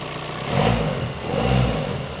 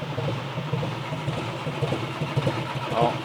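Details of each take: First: 2017 VW Transporter T5 diesel after timing belt failure and replacement with a brand new engine, first start: fires up and settles with two smooth rev swells, no knocking or rattling; sounds healthy. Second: 2017 VW Transporter T5 in for a no-start, fault P0341: uneven cranking with dull thuds about twice a second and no firing; the worn timing belt skipped 2-3 teeth, misaligning the camshaft.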